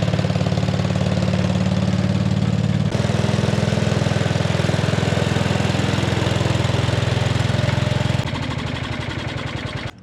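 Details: 1957 Gard'n Mast'r tractor, Briggs & Stratton series 23 9 hp, revived after decades parked, points wired directly to coil and battery: steady even single-cylinder thump at fast idle, warming up, clean shutoff; runs properly.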